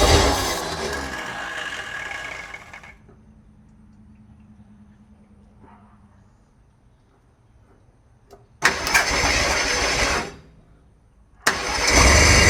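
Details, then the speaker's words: 1968 Ford Torino with previously seized engine, cranking on brake cleaner with no fuel hooked up: rough, uneven churning in bursts, no catching, smoke from exhaust; abnormal cranking noise, starter suspected shot. "Well, I'm not sure what that sound is, but it doesn't sound good. Sounds like the starter might be shot."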